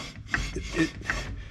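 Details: 1950 Chevrolet Deluxe drum brake being rebuilt: wheel turned by hand after shoe adjustment gives a soft, even rasping rub with about 5-7 lb of resistance; light shoe drag, correctly adjusted.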